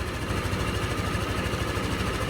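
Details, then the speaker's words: Italian Honda SH 150i scooter after an engine rebuild; it had overheated from lost coolant and seized the piston. Piston, rings, valves, cam and rocker adjustment were redone and the injector cleaned. Smooth, quiet night idle with light injector ticking, no knocks. Normal idle. "Rất là im nha anh em, mặc dù giờ này là ban đêm á, ban đêm là nó im lắm á, chứ ban ngày là nó im"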